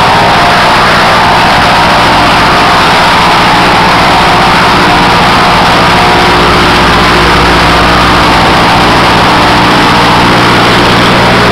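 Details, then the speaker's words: Stock Continental 4A032 GPU engine on rubber mounts in a mini airboat, mic partly covered by thumb: steady even drone with smooth regular firing, no knocks or misses; very smooth compared to the old Briggs & Stratton, normal running. "this engine is very very smooth compared to the old break Strat"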